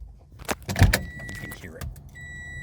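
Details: Toyota Corolla (2ZR-FE) no-crank: keys jingle and the ignition turns, but only a steady warning beep sounds and the engine never cranks, despite a new starter, new battery, and a replaced starter relay; fuses checked; it only cranks intermittently and sometimes starts after a jump.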